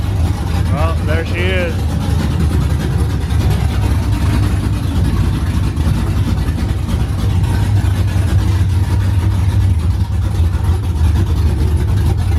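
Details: OBS truck V8 finally running after fixes, straight headers, first fire-up in the morning: deep, loud, steady burble, even and unbroken throughout. Smooth healthy idle; running fine as supposed to.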